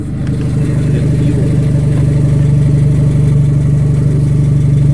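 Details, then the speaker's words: 2000 Honda Civic at idle: rusted resonator (B) pipe broke off below the cat/header unit. Loud, deep, raw drone with a blatting pulse, far too open. Exhaust leak from the broken resonator pipe, before replacement. "so my exhaust my exhaust pipe just came off it rusted out you could hear"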